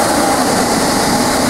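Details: Old air handler or furnace blower motor repurposed as a 3/4 hp squirrel-cage shop fan, first power-up after wiring with an amp probe on: steady, even rush of air with no knock, rub or wobble; the blower runs smoothly.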